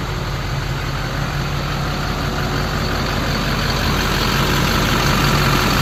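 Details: 2005 LLY Duramax diesel after rebuilding the leaking factory fuel filter housing and priming fuel lines, started to check for leaks; even diesel clatter at idle, steady beat, no misses or stumbles; normal idle.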